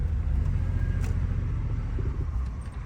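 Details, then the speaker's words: 2005 Chevy Silverado 2500 with 6.0 V8, sat for an unknown time, freshly connected battery, being driven home; deep rumble with an uneven, stumbling beat; rough running misfire. "Oof. She ain't running too good, George."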